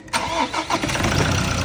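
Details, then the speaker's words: Ford Ranger 2.2 diesel with a no-start fault caused by a pinched CR sensor wire behind the starter; after the wires were repaired, a brief crank, then it catches at once and settles into an even idle, starting normally. "Okay naas na mga bay maingay yung belt yan okay na okay na yung for"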